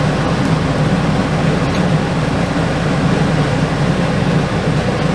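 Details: RV rooftop air conditioner, customer reported no cooling: steady low hum and airy rush with no rattles or squeals; running normally, 70° intake to 45° output, 11.6 amps, refrigerant level fine.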